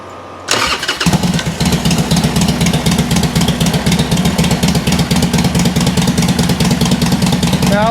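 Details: 2007 Harley-Davidson Sportster 1200 Custom, previously not cranking, in neutral: brief cranking, catches within a second, settles into an even loping idle; starts and runs normally, charging 13.4–13.5 V.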